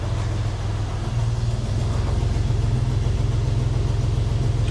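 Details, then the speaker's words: Porsche 996 C2 idling just after EVAP charcoal canister replacement for hard hot-start problems; steady low idle with even soft pulse, no ticking, knocking or rattles; normal healthy idle. "not going to be doing much at the moment. So that's all good though."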